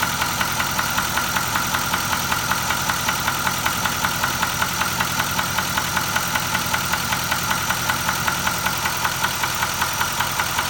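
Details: Nissan Titan XD at 13k miles: steady idle with a sharp, even tapping knock at roughly 78 per minute over the engine; an internal knock, cause unknown.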